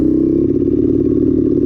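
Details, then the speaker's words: Four-stroke dirt bike with carburettor jetting too rich: revving spits and sputters in uneven rapid bursts, like a less consistent rev limiter, sometimes below max rpm, until the throttle is released. Too much fuel to burn properly. "But, sometimes it just sputters until you let off the throttle. This rich symptom is because there's too much fuel getting into the engine that it can't properly ignite and burn that mixture. It kind of sounds like the rev limiter. But, it's a little less consistent."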